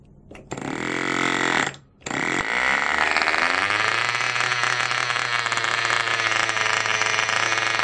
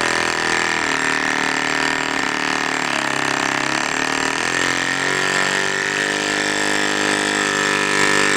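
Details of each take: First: Cox model diesel mini generator after re-priming and lowering compression: a few sputters and a brief stall, then it catches and settles into a steady, even high-pitched buzz; clean start and smooth run, though owner notes flywheel out of balance. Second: Cox model diesel mini generator, run with exhaust open to start without back pressure after re-priming and lowering compression: high wavering, surging scream that sags and recovers; owner believes flywheel out of balance and sticking, axle slipping, fuel hose clogged.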